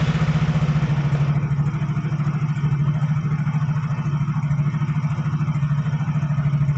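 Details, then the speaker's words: Yamaha Fino automatic scooter after CVT repair, throttle snapped: smooth, even engine pulsing with no crackle or rattle from the drive side. The earlier kretek-kretek noise is gone, and the belt drive sounds healthy. "dengarkan Kang Bro saat saya e sentak gasnya ya di sini tadi suara kretek-ketek terdengar sepertinya ini sudah hilang"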